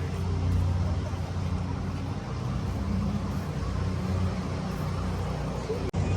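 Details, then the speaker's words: Drag car "Uncle Sam", V8, leaving gas station for Peak Street Car Shootout: deep lumpy uneven chugging like a Kubota tractor, ran great then dropped to about four cylinders on restart: misfire. "No, it run like shit. Sounds like a Kubota tractor. It was running great, and as soon as we started it to leave the gas station, it was running on like 4 cylinders."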